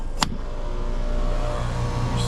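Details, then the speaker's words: Two-stage heat pump, nearly two years old, failing in cold weather in second stage; compressor amp draw fine. Jumped out, suction pressure falls 95, 89 toward below 50; single sharp contactor clack over hum, contactor apparently bumping on low pressure trip. "I'm going to jump this out watch those pressures suction side should start dropping 95 89 see it going down and then the contactor is going to"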